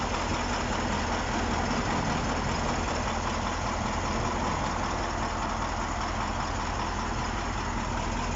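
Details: KamAZ-6520 chassis diesel idling after first start following major overhaul; steady, even heavy rumble with no knocks or misses, healthy idle.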